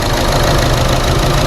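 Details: Chevrolet Sonic small turbo engine, P0300 and reduced-power warning, parked: engine visibly shaking with a lumpy, skipping idle and a sucking air sound; cylinder misfire likely from water in the plug well after engine wash.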